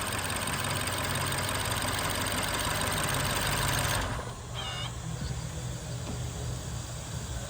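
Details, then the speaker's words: BMW N63 V8 idling with an uneven, stumbling beat; cylinder 4 by the firewall has no spark from its coil, traced to a bad DME coil driver; misfire. "the bad cylinder that's giving us problems is four which is over here by the firewall"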